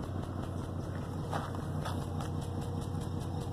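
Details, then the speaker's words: 2003 GMC Envoy 4.2 V6 rough uneven idle with stumbling low thumps and visible shaking, heard at the exhaust; a sudden terrible misfire traced to a bad coil pack. "you see the vibrations on the camera obviously but he's shaking let's hear the exhaust here it's quite the nice exhaust shaking there"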